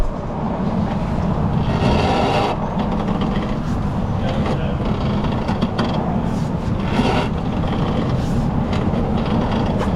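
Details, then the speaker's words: Cadillac SRX with an overdue oil change, engine idling: dull, irregular pops from the front suspension as the wheel is turned, isolated to the strut mount or its rubber cushions. Complete replacement struts are recommended. Finding: worn strut mount popping. "It's coming from the strut mount or one of the rubber cushions on there."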